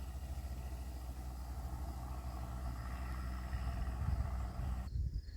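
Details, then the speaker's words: 1995 Ford F-350 7.3L turbo diesel, started after sitting, low lumpy uneven rumble, running rough; owner suspects a clogged fuel filter not changed in a while, or air in the fuel lines. "Probably got a clogged fuel filter. We haven't changed the fuel filters on here, I don't think, for a while, so I might have an issue with that."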